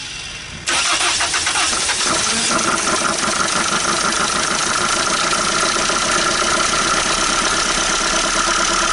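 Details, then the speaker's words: 1980 Dodge Colt Challenger (Mitsubishi Galant) four-cylinder, sitting 20 years since 2001: catches after a crank, then runs and revs with a busy, slightly uneven beat; now running on all cylinders. "well i got it running uh on all cylinders sounded pretty good there for a minute"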